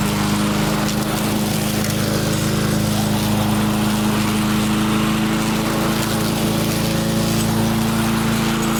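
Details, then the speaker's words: Restored barn-find Murray push mower with Briggs & Stratton engine, primed and pull-started outside, cutting grass: steady, even drone with constant hum, no misses or knocks. Normal running under load, though it seems to burn a little oil; owner suspects a possible valve adjustment. "Okay. Doesn't seem to be too bad. Does seem to want to burn a little bit of oil, though."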